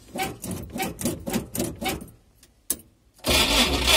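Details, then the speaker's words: Cold UAZ engine with spun bearing shells after running with no oil: cranking in even bursts about twice a second, a sharp pop, then it catches roughly and stalls immediately; earlier seized with grinding and smoke. "Останавливается мгновенно."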